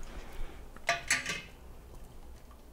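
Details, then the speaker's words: Marmalade jars just lifted from a 5-minute boiling water bath onto a towel: three quick, bright metallic pings within half a second in a quiet room as the lids pop down and seal properly. "The pinging's gonna start happening, but we'll be extra quiet so we can hear them."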